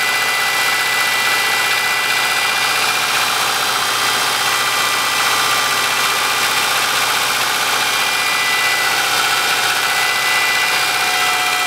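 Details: 2003 Subaru Forester, naturally aspirated, manual, 140,000 km, cold start at -10°C in the garage: a hollow, fairly irregular knock about three times a second over the idle, typical of cold piston slap.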